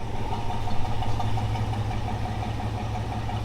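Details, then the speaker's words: 1964 Chevelle at idle after the broken exhaust pipe was fixed: low, steady, even rumble with no ticking, blowing or rattling from the exhaust; clean and quiet, not very mean-sounding. "Not bad to listen to. No more noise. No more nasty broken exhaust pipe sound. She doesn't sound very mean,"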